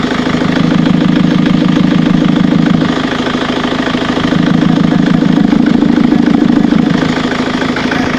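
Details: Ford Mondeo Mk3 TDCi diesel after replacing cam carrier cover: steady, rapid knock at idle heard from the air filter/intake.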